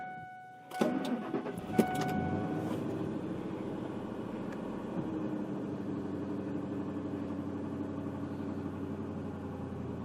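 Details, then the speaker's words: 2000 Ford Expedition after repairing a continuously running ABS pump: dash chimes, quick crank, then catches and settles into an even quiet idle; normal start and idle. "and now for the real test we're going to start it up and run it and drive it and see if the ABS works and how the pump does"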